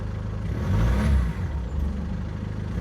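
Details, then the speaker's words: Mercedes W203 C220 estate four-cylinder diesel with a new AMG rear exhaust box: an even diesel clatter over a low exhaust rumble with a brief rev and no odd knocks, a normal diesel sound barely changed by the exhaust. "I appreciate it's a diesel. However, there's virtually no change with the diesel rattle as you'll hear here."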